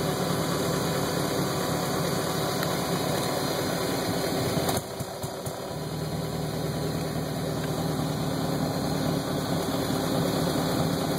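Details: 1999 BMW 540i Sport V8 with a rough idle: uneven, lumpy beat with a brief dip midway, idle not settling smoothly; cause not yet clear.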